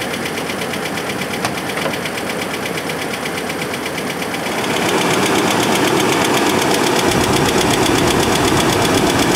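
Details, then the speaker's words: Chevrolet S10 engine running before a motor flush: steady, sharp tick-knock about four times a second that grows louder; started as a slight tick, owner first suspected an exhaust leak but doubts it. "But it didn't sound that bad at first. At first, it was just a little bit of a tick. I thought it was an exhaust leak, but I really don't think that's what it is."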